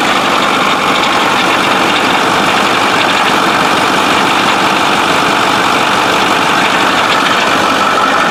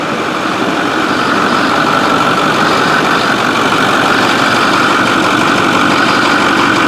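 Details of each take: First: 6.4 diesel truck losing oil and smoking from the tailpipe despite filters, with turbos suspected. Steady, loud running with an uneven, rough undertone and a faint whine, likened to a cavitating power steering pump. It sounds unhealthy; the cause is not confirmed. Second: 6.4 diesel truck after turbo repair. It settles into a steady, loud idle with an even clatter and no misses or knocks. It runs healthy, though oil ran out of the resonator overnight.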